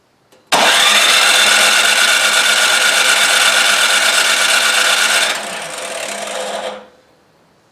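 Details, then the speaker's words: Craftsman 26 Quiet snowblower (model 247.886940), no-start: electric starter whirs at a fast steady rate for about six seconds without firing; compression near 70 psi is fine, so fuel or carburettor is the likely cause. "close to 70 pounds, so that's plenty to start it."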